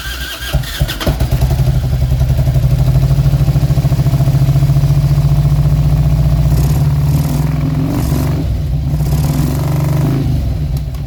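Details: 2000 Harley-Davidson Road King V-twin, throttle body exposed: loping, uneven beat coughing and stumbling as it revs, popping back through the intake; owner suspected ignition timing/ICM.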